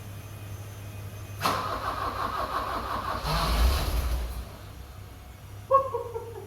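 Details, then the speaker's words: 1982 BMW 320i after reinstalling gas tanks, fuel pumps and main line, cleaning injectors and fixing a vacuum leak, fuel pump relay jumped: cranks, catches for a few ragged seconds, then stalls; won't stay running, cause unclear. "crank it over and let's see what she's got oh my gosh it wants to go it wants to go woo come on baby come on"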